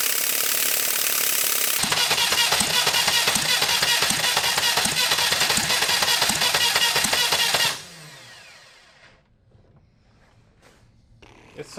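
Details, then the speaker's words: Retired military generator engine (2A016 two-cylinder or 4A032 four-cylinder): six seconds of laboured cranking with no firing; engine seems tight, possibly low cranking speed, suspected, unconfirmed. "painful to hear it spinning over so much yeah I think it's tight yeah I mean that could be part of the reason why it's not running"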